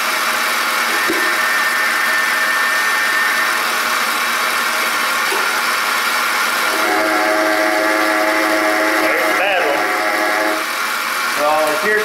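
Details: Ford F-150 belt drive, heard up close using a screwdriver as a listening probe: steady gritty hum with a ringing whine over the engine, a worn belt tensioner pulley bearing growling.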